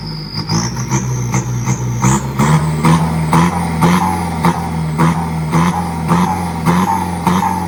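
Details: Isuzu FRR210 truck, 4HK1 diesel, after turbo replacement and customer-supplied louder exhaust; scan shows problems at injectors 1 and 4: repeated rev blips, pitch climbing cleanly, even clatter with no knock or miss; sounds healthy.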